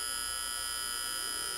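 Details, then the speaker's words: Seiko DP 690T flip clock alarm buzzing steadily, high and raspy, when two contact bars touch, then cutting off cleanly as they separate; the coil that powers the motor supplies the vibration, and the alarm works normally. "the vibration is actually always there it's only when they're brought together that you can hear it the vibrations caused by this red and a device here that's a coil"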